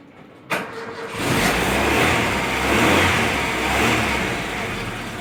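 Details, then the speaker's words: Freshly rebuilt engine, first start after a major overhaul: brief cranking, then it catches sharply and settles into a steady, even run with a slight rev swell; judged normal, though the builder felt it started poorly. "Ну, нормалек вроде бы. Отлично, блядь. Свежесобранный мотор."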